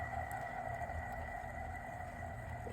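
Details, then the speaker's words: Audi S4 B8 DSG 0B5 front differential removed and turned by hand on the bench: steady, piercing, intense whine with a low rumble from a worn differential bearing, which is to be pressed out and replaced with a new one. "This bearing is fine, but when I turn the whole assembly, you can hear the like whining"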